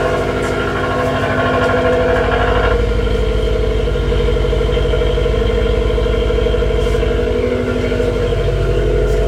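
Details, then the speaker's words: 2018 Subaru WRX STI with custom downpipe and tune, cold start in parking garage: fast steady idle with raspy buzz from secondary air pump, expected to shut off or reduce duty cycle; normal cold-start air pump noise. "so bear in mind the secondary air pump will then turn off or reduce its duty cycle so you might hear the rasping slowly go or it might just shut off and go altogether"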